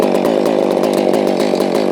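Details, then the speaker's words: Holzfforma G660 chainsaw that had been losing power at high rpm, warming up on a chilly morning after flooding: a steady wide-open howl with regular burbles, light four-stroking at the top end, which is the wanted healthy rich tune. "but we'll sounds like it's four cycling at the top end a little bit. That's the way I want to run it."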